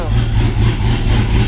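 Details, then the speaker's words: 6.0 V8 swapped Cateye truck with BTR Truck Norris cam, idling after lifter problem fixed (7425 pushrods tried first, no help): low even smooth rumble, no lifter ticking, normal idle. "my problem was not valve train noise it was actually a lifter so we got that all fixed and the truck's doing great now"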